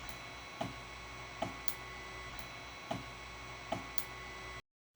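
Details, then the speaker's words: Ender 3 Pro 3D printer during printing: sharp irregular clicks over fan hum from the extruder skipping for lack of filament feed, attributed to spool holder friction. "It is referred to as extruder clicking, popping, or skipping. It happens when the extruder doesn't have enough f"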